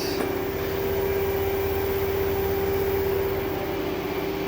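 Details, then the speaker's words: LG front-load washer after replacing a worn rear tub bearing and a corroded, cracked spider arm that caused banging and wobbling: steady, even hum with constant motor tone and no banging through spin; running smooth. "New uh drum bearing and spider arm inside. Everything looks good. So, we're going to reassemble it. Everything's done. Working great."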